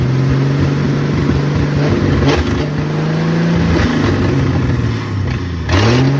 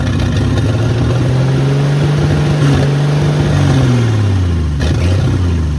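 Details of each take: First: 1972 Ford F100 Custom six, front exhaust pipe missing so exhausting from open manifold, rigged fuel supply: loud raw unmuffled revs rising and falling with throttle; runs strong. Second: Long-neglected 1972 Ford F100 Custom, carburetor pouring gas, fed by hand: engine catches, runs rough at low wavering pitch then sags and dies; owner suspects stuck float and leaking carb starving it of fuel.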